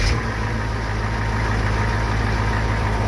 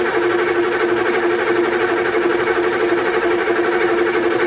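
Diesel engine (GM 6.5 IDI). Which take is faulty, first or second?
second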